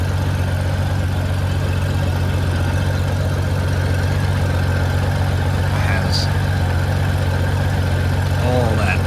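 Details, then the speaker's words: 1994 Honda GL1500 Goldwing Aspencade after aftermarket fuel pump replacement, running 20+ minutes and nice and warm: steady, even low throb, no knocks or misses; normal warm idle, zero smoke. "it's been this uh for 20 minutes now or more nice and warm"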